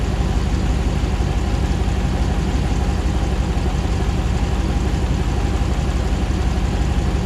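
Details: 2009 Hemi 1500 TRX4 auction truck, first start after months of rebuilding: deep steady V8 burble, about 87 psi oil pressure, idling cleanly while warming up with no hunting, misses or jerking as before; normal idle.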